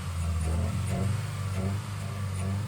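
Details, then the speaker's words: 1986 Ferrari 328 GTS under restoration, warming up to temperature before fine-tuning, exhaust smoking: smooth, steady low idle with an even pulse, no stumbles, pops or ticks; normal idle. "So, she's running smooth."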